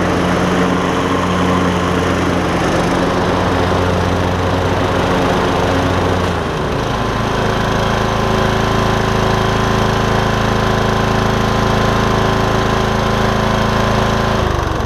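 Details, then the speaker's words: MTD Craftsman LT2000 riding mower after repairs to the drive and mowing systems, including belts and a pulley: even engine hum and steady blade drone, pitch settling lower midway as load changes, no knocks or slipping; mowing normally. "only time will tell but i think we got it um it's engaging and disengaging very well"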